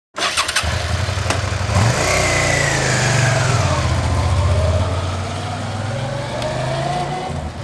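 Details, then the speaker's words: V-twin motorcycle just washed idles with a lumpy, uneven thump; water in the front spark plug hole is causing a misfire, with the front cylinder not firing at all. "We just got done washing this and we do have water inside the spark plug hole which is causing this misfire. The front cylinder is not firing whatsoever at this moment."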